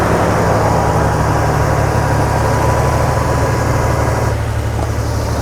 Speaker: I actually disabled one of the cylinders on here. I disconnected a fuel injector and started up with the remote start.